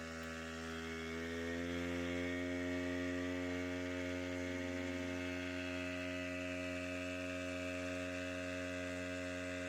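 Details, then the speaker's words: Wick 375 high-pressure fire pump two-stroke just after starting, choke set to run and engine speed raised to pressurize the hose: a steady buzz that climbs in pitch, then holds an even, smooth note. Normal running at pumping speed. "with the engine now running you can immediately increase the engine speed to pressurize the hose line and start pumping water"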